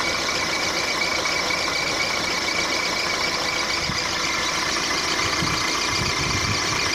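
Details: Squeak from the engine of a 1.4 litre petrol Mark 4 Volkswagen Golf at idle: a steady high squeak over the engine noise, source unknown; owner suspects a drive belt pulley or the water pump.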